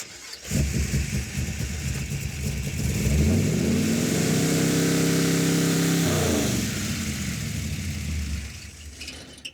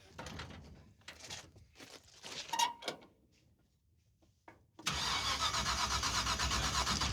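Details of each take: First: Roadkill drag car V8 after replacing failed ignition boxes, distributor, coil and wiring; vacuum advance: catches and climbs to a steady, even fast idle, then settles; normal running. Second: Race car fitted with a borrowed ignition box. Steady quick cranking around four beats per second that never catches; no spark, rotor fine.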